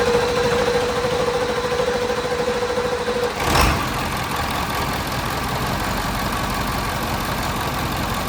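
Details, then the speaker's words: OBS Ford F350 7.3 Powerstroke diesel, not run in years, after the glow plugs were jumped manually: an even, steady idle with all cylinders firing and no miss. "Anyhow, uh now it runs great. This truck hasn't ran in years and it fires up just wonderful."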